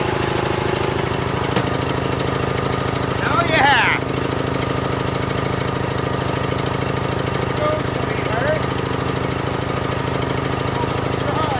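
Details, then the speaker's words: John Deere L100 mower after valve adjustment, starter suspected weak: loud hard lumpy thumping about three beats a second; rough running, owner suspects bad old fuel from the smoke. "ties are really flat and it doesn't sound right but that's tomorrow I think it's got bad fuel by the smoke and everything"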